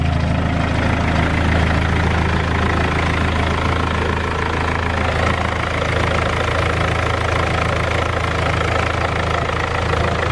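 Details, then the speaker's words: 200k-mile BMW E46 320d Touring, M47 diesel, idling cold just after first start: steady clatter with a rough, irregular puffing tick about two a second; owner suspects exhaust leak, downpipe flexi probably gone. "I know we have an exhaust leak. I think the flexi has probably gone on the downpipe."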